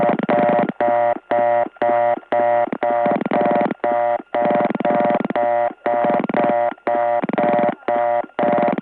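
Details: Gainesville GA step-by-step tandem switch, early 1979, dialing 88: a steady on-off fast-busy reorder tone about twice a second, meaning all trunks are busy. The tone softens when other callers come in and grows louder when they hang up.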